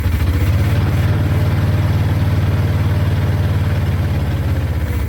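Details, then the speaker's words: 1955 Chevy 283 small block, parked 37 years, after new starter, cap, rotor and points, carburetor not yet rebuilt: engine fires but idles unevenly with a loping beat and won't stay running; unrebuilt carb blamed, fuel pump probably bad too. "That carburetor is not even rebuilt yet. We got to rebuild that carburetor. That's why it's not going to stay running. The fuel pump probably bad, too."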